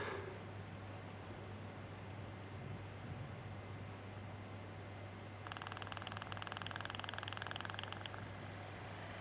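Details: DualShock 4 controller, after two months of use, tested at low vibration speed; the right rumble motor gives a quick, light ticking knock over a low hum that goes away at higher speed; the vibration motor knocks at low speed.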